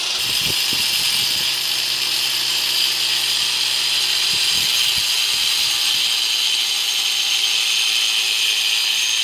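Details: Hand grinder with a 4-inch circular saw blade, speed lowered with a 2000 W dimmer, cutting wood: steady high-pitched motor whine holding even speed as the blade bites with occasional knocks; cutting normally.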